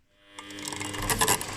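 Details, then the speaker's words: Washing machine drive belt over 10 years old: dry crunching creak only at start-up at low drum speed, both directions; fixed by spraying belt conditioner-tensioner. "И этот хруст появляется только в тех случаях, когда машинка начинает только стартовать. И этот хруст получается на маленьких оборотах."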